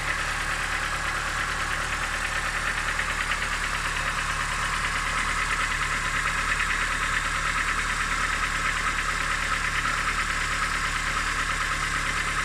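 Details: Engine knock at steady idle: a dull, fairly even knock about three times a second riding over the engine note; source not pinned down.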